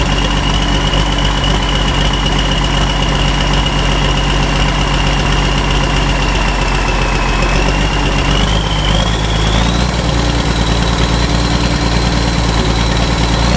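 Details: Ford 5000 tractor with a swapped-in Ford Brazilian 7.8 six-cylinder turbo diesel, second run after first fire-up, long-sat engine steaming off water vapor: deep, even idle rumble with a faint turbo whistle rising as revs pick up; runs clean.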